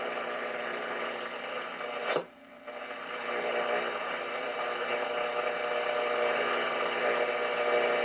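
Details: RCA 811K console radio at first power-up with supply voltage raised from 81 to 90 volts: steady hiss and hum with a faint station whisper underneath; reception stays weak while under-powered.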